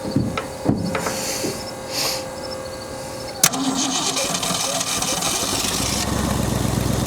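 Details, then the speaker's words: 1965 Mustang 289 2V V8, 4-speed manual, in a junkyard 30 years, first start on the old fuel in it: cranks and catches, then uneven, slightly lumpy idle with clatter; carb functions only at idle, rough running after start. "She's a runner and she idles. That's pretty crazy. 30 years and it's in here idling."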